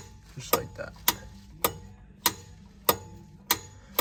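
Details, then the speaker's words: 2014 Ram 5500 Cummins 6.7 VGT turbo, actuator removed, vanes cleaned and swung by hand with one finger: crisp metal clunks about every 0.6 s at each end stop; the vanes move freely, as they should. "this is how you want it be able to move it with one finger you hear the metal clunks at each end get to each stop"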